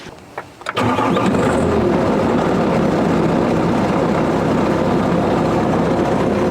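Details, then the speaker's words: Bobcat (thought to be an S150) with about 3,900–4,000 hours, brought in for a no-start: battery at 12.7 V and continuity to the starter solenoid. A short crank, then it catches at once and settles into a steady, even diesel idle. It now starts and runs normally. "Yeah, it's running. It starts right now, great."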